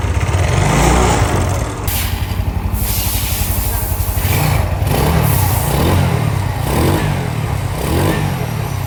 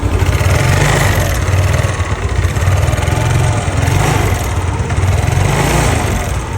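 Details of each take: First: Yamaha Nouvo Z scooter, previously noisy and bored up, with rebuilt cleaned carburetor refitted, revs and settles in repeated blips with no ticking or rattle; engine sounds normal. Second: Yamaha Nouvo Z with standard carburetor, before restoration and bore-up: steady low idle with a quick metallic tick and loose rattle, the engine noise described as ngericik; internal wear suspected, engine to be opened.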